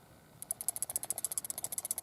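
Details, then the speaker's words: Smith & Wesson 9mm revolver shaken by hand: quick light metallic clicks about ten a second from the hammer transfer safety moving, normal for this gun. "You hear that rattling? Don't worry, don't panic. I get a lot of guys panicking about the rattling. The rattling is the hammer transfer safety that sits in here."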